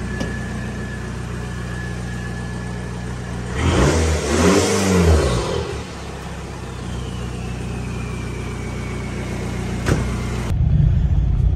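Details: 2002 VW Jetta 1.9L ALH turbodiesel with new turbo and homemade stainless cold air intake, cranks, catches and settles into a steady, even idle with no misses or knocks; normal start and idle.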